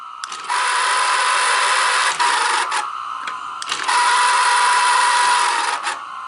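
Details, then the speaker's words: Sanyo Beta HiFi 7200 VCR loading and playing a tape after an electronics repair: harsh whirring grind with a whiny tone in bursts; strained, noisy transport, suspected bad belts and idler tire. "okay it's it's coming in tape went in let's hit play oh that sounds horrible"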